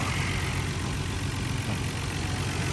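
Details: Nissan R32 GTR idling after a burst radiator was replaced with a new Koyo radiator and lower hoses, original tested thermostat kept, coolant being bled with water; steady even low idle with smooth rumble, no knocks, misses or squeals; temperature good, engine healthy.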